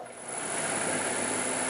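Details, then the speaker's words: R380 gearbox on bench rig, driven by angled prop shaft, no load: steady even whir with faint high whistle, no knocks or grinding; much quieter than before, healthy unloaded. "there we go see it's a lot quieter it's not bad at all"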